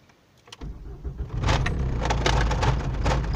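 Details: Ford Mondeo MK1 (1993–1996) started after battery terminals replaced: quiet, short crank, engine catches at once and settles into steady even low rumble; warning light no longer on, slight plastic rattle inside; normal start.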